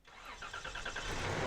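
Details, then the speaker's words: 3rd-gen Toyota 4Runner engine started after repacking the dry front and rear alternator bearings; quick crank, clean catch, even run, no odd noises or leaks. "after I start it up I check for any crazy noises or any leaks and we are good to go"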